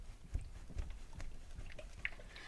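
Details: 2016 KTM 300XC-W, four years old: dull faint clunks about every half second as the swing arm is rocked by hand, from worn swing-arm pivot bearings/bushings.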